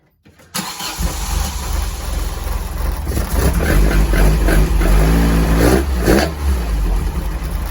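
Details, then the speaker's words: C20XE-engined Mini just started with fuel pressure gauges fitted, reading 3.5–4 bar: idle hunts and wavers unevenly. Owner guesses a 3.5 bar regulator and wonders whether the fuel pump is lazy; the cause of the erratic idle is unconfirmed. "A little bit erratic. 3.5 to 4 bar. I'm guessing that's a 3.5 regulator."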